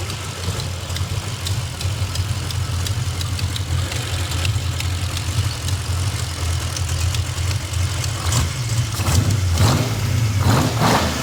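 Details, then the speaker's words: Nissan VK56 V8 with eight independent throttle bodies, first start in a 1971 Hakosuka Skyline 2000GTX: deep burble rising with throttle blips, light sharp ticking on top from an exhaust header leak at a cross-threaded header bolt; some crackle. "Sounds good, except for that leaky header that you cross-threaded the bolt."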